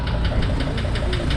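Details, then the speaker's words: 2005 Mercedes Sprinter van diesel, bought with engine knock: steady idle with sharp, regular knock about six times a second; knock heard from underneath, owner suspects harmonic balancer, not confirmed. "there was a knocking going on and it does saw like a harmonic balancer I'll have to take a closer look because that's not a good luck"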